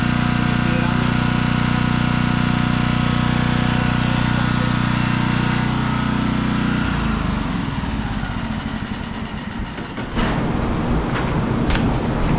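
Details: Generator, previously non-running after sitting in snow, started up while an outlet is checked with a multimeter; it holds a steady, even drone for about seven seconds, then gets rougher and uneven, with no knocking, and runs fine.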